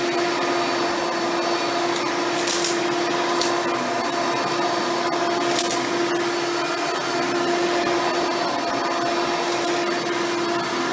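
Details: Hoover Spectrum (Elite-style upright vacuum) run after installing a new belt and brushroll: steady motor whine, brushroll spinning evenly, no slapping or squeal; smooth constant hum, normal running.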